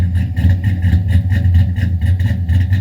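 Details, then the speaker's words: Cammed Silverado LS V8 freshly upgraded (FAST intake, ported heads, 1000 cc injectors, long-tube headers), first start after the top-end work, fuel smell: lumpy loping idle with an irregular stumble; dead cylinder from an injector not firing. "I know it's kind of loud I smell the fuel got a dead Miss got an injector that's not firing at all trying to figure that out right now"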